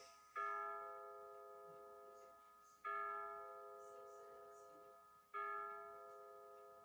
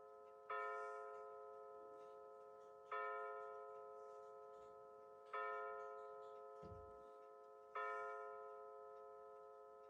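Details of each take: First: Battery-powered Bulova C3542 wall chiming clock, pendulum removed, hands moved ahead an hour: slow bell strikes every two and a half seconds, each ringing and fading, strike 9 times, so the hour is wrong. The chime batteries, in since October 2020, are weak. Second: Bulova C3542 battery wall chiming clock with new chime batteries, pendulum out, set to 9:19 PM to strike 9 times: clean bell-like strikes about every two and a half seconds, evenly spaced; the hour chime is working properly.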